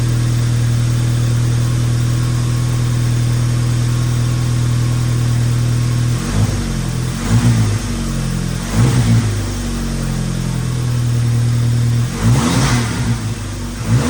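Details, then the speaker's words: 2006 Mk5 VW GTI, possibly a stage 2 tune, with downpipe and turbo exhaust, after vacuum leak repair: smooth deep idle for six seconds, then three crisp throttle blips rising and settling cleanly; running great. "As you can see, the GTI is running great."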